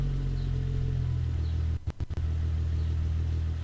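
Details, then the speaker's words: 1998 VW GTI VR6 with a Magnaflow exhaust, driving: deep, even exhaust rumble with a smooth steady drone and a brief dip midway; the engine runs fine. "can hear the magnaflow exhaust"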